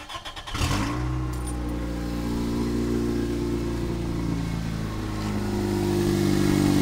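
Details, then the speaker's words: 1998 Toyota Corolla: loud harsh drone with steady tone climbing slightly; began while climbing a hill at about 50 km/h and 3500-4000 rpm and persists even off the accelerator; cause unknown. "So what I have here is a 98 Corolla. Engine noise is really bad, so"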